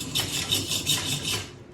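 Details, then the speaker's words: DIY lat pulldown machine with three-inch pulleys without bearings: repeated high scratchy squeaks as the new cable runs over a dry pulley rubbing its housing, before lubricating with molybdenum. "hear that pretty squeaky so what i've got here is a little molybdenum this is the secret of pinewood derby winning"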